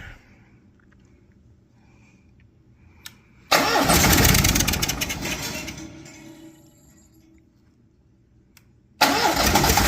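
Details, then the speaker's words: Cummins Onan Marquis Gold 5500-watt RV generator, sitting about 20 years, on a nearly dead jump pack: cranking bursts fade over seconds, turns over weakly and won't catch; blinking code the owner believes is low voltage. "So it's blinking a code for us. I believe that's a low voltage code. My jump pack's almost dead, so I'm gonna go ahead and charge that, and maybe charge one of these batteries, and we'll give it another shot."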